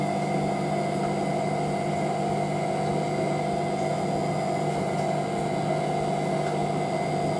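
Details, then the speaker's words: Hotpoint 9530W Electronic 1000 Plus washer spinning a towel load (Programme 1 85°C White): steady constant-pitch whining hum with faint thudding of towels hitting the door sill; normal spin. "It definitely sounds very different to the 9530A when that spins. That's got like the sound of a later 95, that's what I like. It's awesome. You can hear the towels hitting the front of the door sill."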